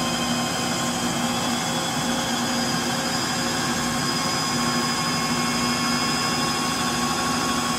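Loud, steady jet-like roar with a high hiss through the spin, pointing to worn drive motor bearings.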